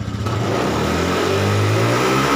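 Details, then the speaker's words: Honda Scoopy eSP K93 injection scooter after fixing hesitation at full throttle, throttle sensor voltage adjusted and synced: engine note climbs smoothly as throttle is eased open to full, no stumble or break-up; now pulling clean. "Oke kita gas penuh sekarang kita pelintir pelan-pelan Apakah ada brebet Apa Enggak"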